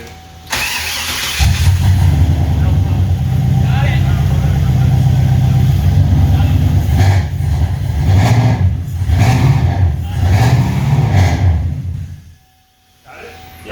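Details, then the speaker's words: Volvo with swapped LS V8, belts fitted and untensioned: cranks, catches and runs rough for several seconds with slapping bursts as one belt jumps off its pulley; suspected fix is a shim washer behind the pulley, not confirmed. "yeah you got a belt issue it's this got to be because it's the only one jumping off it's yeah so i think we just need to produce some shimmy washer behind it okay make it stick out a little bit"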